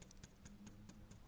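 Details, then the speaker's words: VAG transverse petrol engine (Skoda Octavia/VW Jetta type), warm: faint even ticking, four or five per second, as the EVAP purge valve cycles on/off; vacuum pulses flex aged, shrunken loose tubes that knock the body; fix: foam padding. "и так как я уже повторяюсь клапан работает не постоянно а то включается и выключается ну примерно"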